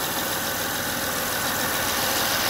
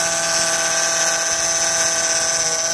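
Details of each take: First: 2005 Honda Odyssey at steady, even idle with no whine after replacing the failing power steering pump; power steering now quiet and running smooth. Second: 2005 Honda Odyssey running with a loud high power steering pump whine that rises and falls in pitch and worsens as the wheel is turned left and right. Fluid level is fine; pump judged failing. Power steering pump whine.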